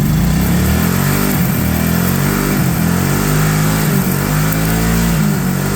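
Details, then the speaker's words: Kawasaki Prairie 650 ATV that sat for 8 years, idling after revival once a mouse nest was cleared and the airbox refitted. An even, steady low thrum holds a constant idle on its own with no misses or knocks, while waiting for the fan to kick on. "okay we're going to let this thing run for a little bit we'll make sure our fan kicks on and yeah and then we'll probably try to take it for a drive"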